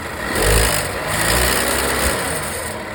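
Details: Volvo V60 B4 mild hybrid petrol engine idling with a light, loose metallic rattle over the low hum; rattle persisted after wastegate rod replacement, worn turbocharger needed full replacement, and the noise disappeared after a new turbo was fitted.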